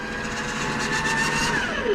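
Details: LG front-load washer-dryer with a jury-rigged, manually switched drain pump, during the extra-high final spin at about eight to nine minutes: steady pump hum with a thin whine that slides down in pitch near the end. The pump is running with the sump already empty.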